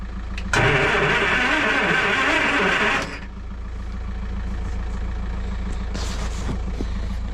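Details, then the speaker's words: Land Rover 2.25 petrol, stood over winter, with refurbished Zenith carb, new distributor, coil, HT leads, solenoid, lift pump and starter: starter spins briskly for about 2.5 seconds but never fires; cranks, no start, carb not yet fueled. "That is good news. So no point in keep turning it over like that. What I need to now do is get fuel into the carb, so let's go do that."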